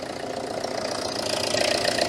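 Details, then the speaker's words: Citroën Berlingo HDi diesel, first cold start in over a week, after MAF replacement, bubbles seen in fuel pipe: uneven clatter with a slightly lumpy, wavering idle; owner suspects a fuel-related misfire. "now it is occasionally actually missing and there can't be much on a diesel to cause a misfire other than fuel"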